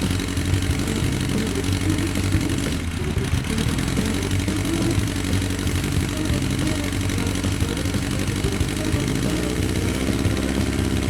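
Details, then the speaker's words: 2004 Yamaha XJR1300 (RP03J) started after about 3 weeks sitting, possibly not warmed up: lumpy, uneven idle that feels like 3 cylinders and revs poorly. Owner plans a pilot jet change. "Idling is disjointed for some reason Very sluggish... Some of the engines are not warmed up... Feels like it's running on 3 cylinders? Sounds like a V engine"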